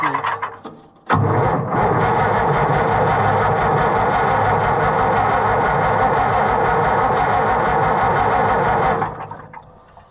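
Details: White 2-70 gas tractor, not run for years, on brake cleaner sprayed in the carburetor: catches after cranking, runs about eight seconds with an uneven stumbling beat near 200 a minute, then dies. Rusty carburetor suspected, not confirmed.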